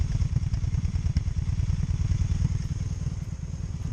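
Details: 2002 Honda Magna VF750C during a rebuild: low, lumpy idle with an uneven, stumbling exhaust beat about three pulses a second, suggesting cylinders firing unevenly. Cause suspected, not confirmed.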